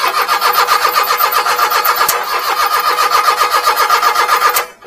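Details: Mini-truck that lost power intermittently then stalled as if out of fuel; fuel, water in fuel and ignition checked, timing belt suspected: steady starter churning about four beats a second on and on without catching, then cuts off; crank, no start.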